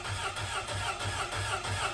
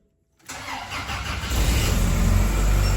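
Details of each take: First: Grumman LLV mail truck, Iron Duke four-cylinder, cylinders two and three at about 30 psi compression: cranking chugs unevenly with a distinct skip from the two dead cylinders. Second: Grumman LLV postal vehicle, first start after Iron Duke engine replacement and a fuel-leak check: starter whirs briefly, engine catches within half a second into a steady idle; an exhaust leak is heard afterward, suspected warped manifold.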